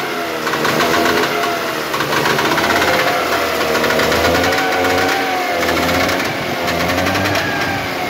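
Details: Trabant Tramp (Kübel) two-stroke on its first start, smoking: a buzzy, ring-ding note that picks up and settles with the throttle as the engine runs on its own. Normal running.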